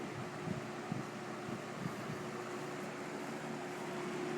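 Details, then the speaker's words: Superlectric 2-speed box fan, model 2072, new old stock with plastic-shelled motor: a slight whine at start-up, then a steady low electrical hum under even airflow when running. Owner thinks it may go away. Motor hum. "um probably might have heard the motor does still have a little bit of a wine to it when it starts up then has kind of a hum when it runs but that may probably go away in"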